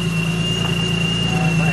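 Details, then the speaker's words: Nissan G35 with a Vortech supercharger and drilled GTM pulley, idling: a steady high-pitched squeal over a rough idle that doesn't change. The supercharger belt is slipping on the problem pulley. "now let me hear it wrapped this time it'll still squeal"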